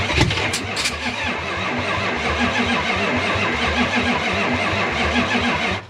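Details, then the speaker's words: 1972 Chrysler Newport with swapped 440 big-block V8, sat since 2003, on a better battery: steady cranking three to four turns a second with a few weak catches that never build to running; owner suspects timing was never set. "Now, that sounded promising. I wonder if the timing's ever been set."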